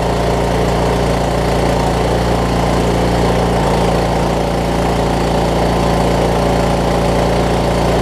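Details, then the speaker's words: Craftsman T2200 lawn tractor, about 5–6 years old, 19 hp Briggs & Stratton engine with Nikki carb, after cleaning gel-like gum from the carb that caused surging; steady single-cylinder idle thump, no rise and fall, running smooth with no surging. "just gonna let it do its thing for a few minutes make sure it doesn't start surging again"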